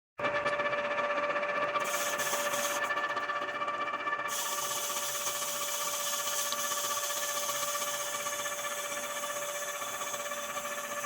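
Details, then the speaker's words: Honda CB400 cylinder liner boring after sand ingestion, deliberately light pass removing about 0.15 mm; steady, even high hum with faint metallic hiss, no chatter or squeal, cutting centered and uniform: normal light boring cut. "E vou chegar ali aos poucos. Então vai ser um passe leve."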